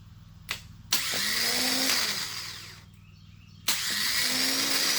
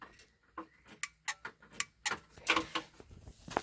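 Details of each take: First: Old starter from a 2005 Kawasaki Mule 3010, bench-tested hot-wired: three strong even two-second whirring spin-ups with no grinding; starter works, though no-start problem persists after starter replacement. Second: Kawasaki Mule 3010: starter relay clicking sharply and irregularly, about a dozen clicks in four seconds, with no cranking; a new starter did not fix it, and it is not the starter relay.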